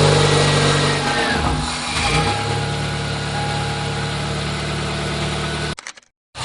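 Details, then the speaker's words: Idling petrol engine with a harsh metallic buzz from a loose exhaust heat shield rattling under the hood after one of its bolts broke off during a previous repair. "had one of those moments where your exotic something was rattling under the hood well it just might be your exhaust shil"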